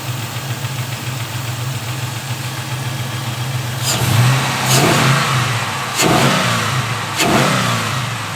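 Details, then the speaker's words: LS-swapped G-body Cutlass V8 with a three-year fuel system issue, started on a borrowed battery; owner reports a lifter issue: rough idle settles, then three sharp blips with busy ticking under the rumble, a noisy lifter; a fuel leak was found. "He said it does have a lifter issue. Obviously, we can hear the lifter is going a little crazy."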